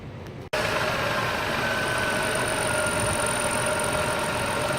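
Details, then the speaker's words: Engine after an oil change: smooth, even idle with a steady hum and faint high tones; the earlier severe clanging knock is gone. "oh that's high it doesn't make that noise so interesting"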